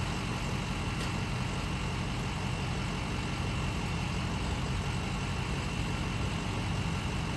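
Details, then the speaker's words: 2011 BMW 335i xDrive M Sport, N55 engine, 6-speed, bought from Copart, first start: uneven, stumbling idle with a dull irregular thump, misfiring and knocking. The owner expects the engine will need a rebuild or replacement. "Oh, no, not really. Missing. It's not nothing at all. It's weird. It sounds like complete shit."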